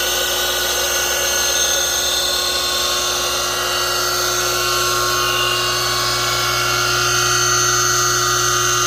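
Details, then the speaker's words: 1965 DeWalt radial arm saw motor, 5 HP three-phase, frame 573, model GA, run before bearing rebuild. Loud, steady high whine with a rough edge and a long spin-down; possibly worn bearings. "we're going to test around it first see what it sounds like before I rebuild it have the bearings in stock see how this sounds when it runs"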